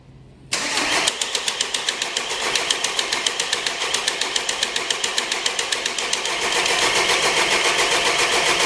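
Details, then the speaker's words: 2014 VW Golf 2.0 TDI EA288 diesel, first cold start of the day before repair, scope on the cam and crank sensors (codes P0341/P0016/P0011): the starter grinds on with even pulses, well over 3.5 seconds before firing; the cause is a sticking VVT central valve. "Well, I'm a bit surprised, guys. It took a lot longer than 3.5 seconds. Seems our symptoms are getting worse."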